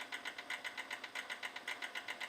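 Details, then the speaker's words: 2005 Kia Optima during water pump/timing belt work, engine off but key possibly left on: quiet, fast pulsing whir about eight beats a second; some electrical component still running, cause not confirmed. "now my car is making a weird I don't know why it's making that noise because it's shut off or is it oh maybe I didn't turn the key off all the way"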